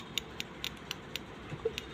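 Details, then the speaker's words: Honda City petrol ignition coil bench-tested at home on 12V in the dark with plugs on cylinders 1 and 3; crisp evenly spaced snaps about four a second, a strong spark, so the coil is good. "अंधेरे में करके इसमें current ए रहा है इसका मतलब है एक कोयल है आपका सही है"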